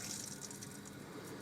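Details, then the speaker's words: Newly fitted electronically controlled domestic central heating pump, replacing a 2-year-old failed unit: soft hiss of water rushing through pipes over a faint low hum, no grinding or rattle; pump running normally. "pumping heat around the house."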